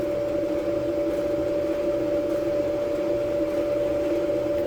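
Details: Kenmore dryer after part replacement and dust cleaning, heating element glowing red: steady even hum with constant tone and soft tumbling, no knocks or squeals; dryer running normally.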